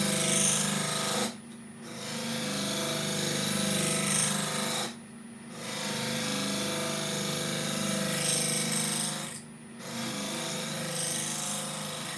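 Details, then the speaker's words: Woodturning a very tough olive ash bowl with heavy inclusions: rough, scratchy cutting noise comes and goes in short bursts as the inclusion comes round under the tool. Intermittent cutting noise from the flawed workpiece. "actually yes it's a very tough piece of ash but heavy heavy inclusions on it so I am just taking the time and it's like we're saying before if any of this it will make me jump Oh I can hear that"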